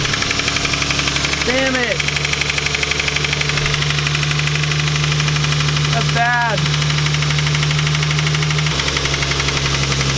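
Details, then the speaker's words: Lexus IS300 engine started after refilling with 10W-40 oil: steady, sharp deep tapping about four per second over the idle from startup; owner suspects rod knock, not yet ruled out as a rattle. "That's most likely a rod knock noise. I gotta move this thing out of here to move the 240, so I'll rev it up just a little bit next time I turn it on, and we'll see if the noise gets faster, but it'll rule out that it's not just hitting on something rattling weird."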